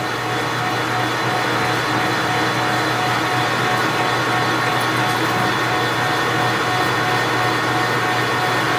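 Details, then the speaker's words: Precision Matthews 1640 lathe turning 7-inch cold rolled steel toward 6.5 inches, 20 thou cut with carbide insert: steady even cutting hiss over constant spindle hum, no chatter or squeal; sounds good, decent chips, a little heat. "That's very nice. Everything sounds good, feels good, looks good. Chips are decent, making a little bit of heat."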